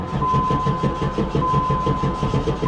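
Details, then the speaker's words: 1994 Pontiac Firebird Trans Am, LT1 V8, 119,000 miles: fuel pump heard, then steady cranking at about five turns a second with an occasional weak pop but no catch. Battery dying. "Here's what happens when you try to start it. I hear a fuel pump. It just cranks. I have occasionally gotten it to kind of pop off, but it not for long."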